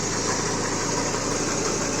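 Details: Chevrolet (Aveo/Optra/Corsa type) with a high-idle complaint (about 1300 rpm earlier) now idling steadily around 822 rpm with TPS signal at 0%: even hum, no surging or misses. Voltage spikes were suspected from coil wires or bad grounds.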